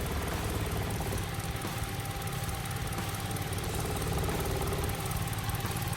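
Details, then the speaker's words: 2002 Infiniti G20 with SR20 engine, 5-speed manual, rough idle and limp mode, after a crankshaft position sensor swap: rough shuddery idle with heavy low thrumming through the body; engine mount loose and blown out. "She's vibrating a lot. Sounds like this mount is loose. Oh yeah, we're blown out."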